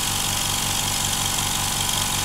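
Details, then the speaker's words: Implotex 55 dB whisper compressor on first run, filling its tank past 2 bar (it cuts out at 8 bar): steady hissy airflow over an even low motor pulse, no knocks. It runs normally; a slight hiss at one fitting is to be resealed. "Wir haben jetzt schon 2 Bar drauf. Er füllt sich sehr schnell."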